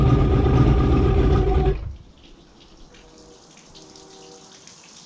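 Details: 1985 Mercury outboard after carb rebuild: runs loud and even, then dies abruptly as the fuel-air mixture screw goes fully in, starving it lean; screws then backed out to a turn and a half.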